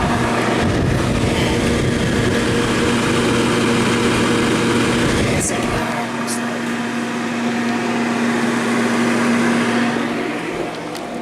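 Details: Brand-new humidifier, set to 50, failing within a day of purchase: a steady loud whoosh of air with a constant low hum that never changes; blower fan running noisily, cause unknown.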